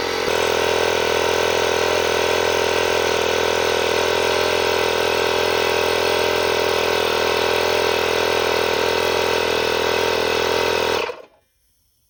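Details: Small domestic air compressor under repair, running from a solar panel system. A steady, even pumping drone for about eleven seconds, then a clean stop at cut-out; it works normally, though a slight leak at the check valve follows.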